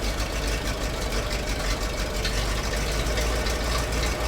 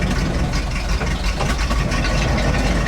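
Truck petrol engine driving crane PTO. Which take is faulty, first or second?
second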